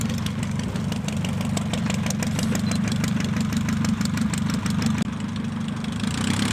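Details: Pietenpol (Piet) aircraft in flight after engine rebuild, max 2525 rpm or better: steady even piston drone at constant speed, clean firing beat, no misses or knocks; louder, deeper and growlier than before rebuild; healthy.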